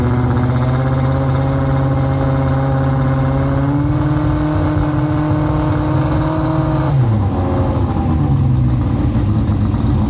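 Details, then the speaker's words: Late-1980s IMSA GTO Gen 3 Camaro V8 race car with 90 mm exhaust pipes: very loud, deep roar held at high revs then dropping off, nothing muffling it; later measured 117 dB at 4,000 rpm versus 105 dB limit; silencers essentially empty. "So just for oh, it's loud as well, isn't it? The exhaust is the main one. The exhaust on this is insane anyway."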